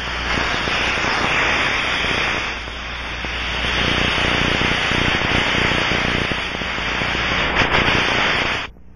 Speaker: it will produce a turbulent flow as escaping gas moves from the high pressure side of the leak to the low pressure side